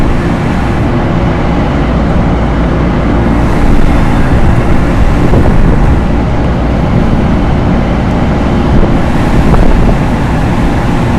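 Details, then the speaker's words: Loren Cook 100 ACEM rooftop commercial exhaust fan with a newly replaced motor, running at full speed: a steady, even low roar and constant airflow rush with no knocks or rubbing, running smoothly. "I don't know if we need full speed. I'm going to turn it down some. Let's do half. I think the motor will last longer that way."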